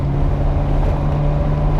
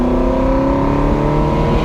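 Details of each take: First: Ferrari with a rebuilt engine, one coil bank disconnected: a lumpy, uneven thrum at about 1000 rpm idle, running on one bank and misfiring on the other. The rear plugs still burn poorly even with the ignition modules swapped; cause unresolved. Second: Ferrari with a rebuilt engine, after chasing a misfire, now fitted with new correct iridium plugs and the airbox refitted. The engine revs cleanly to 7,000 rpm and pulls well at the top end. A rattle remains, possibly a heat shield.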